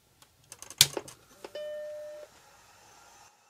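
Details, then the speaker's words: Vintage Mac after power supply adjusted to just over 5 V on the 5 V rail and 12.2 V on the 12 V rail: a few clicks, then a single clean startup bong and a faint steady hum; powers up normally. "and you heard the computer bonged when I turned it on"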